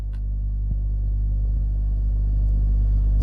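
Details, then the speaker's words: Hum from a Herald RP35 or Dynatron Gypsy valve radio at switch-on: steady low mains-like drone at low volume, noisy amplifier. A capacitor issue, noisy driver transistor or broken joint is suspected, not confirmed. "it's got the sound of dying it's got a noisy amp as well yeah we got a noisy amp"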